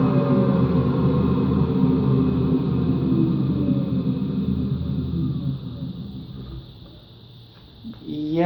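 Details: Washing machine run empty on rinse and spin: low growl during spin that falls as the drum slows, then rises again; drum not loose, but motor or drum bearings suspected worn, and it can't quite reach full speed at the end of spin.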